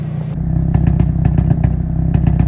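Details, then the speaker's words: Hyundai Elantra N at idle and 1–2% throttle: the idle is broken by repeated sharp pops roughly every tenth of a second to half second, with timing jumping about 5 degrees on the softer pops and 10 degrees on the louder ones; a rough, stumbling idle. "Advanced timing. And then every time it pops. At idle, right? It goes about 10 degrees."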